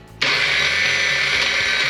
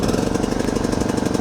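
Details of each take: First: Old scooter that sat in the jungle, starter powered with fake key-on from battery after checking relay: high, fast electric whir spinning freely with no cranking beat; starter not engaging the engine. Starter spinning without engaging. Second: Dirty used riding mower ("jungle workhorse") just picked up, with fuel and oil checked. It fires right up with fast, even firing pulses at about twenty a second, steady with no skips or knocks. The engine and transmission work, but the brake does nothing and there is no deck belt.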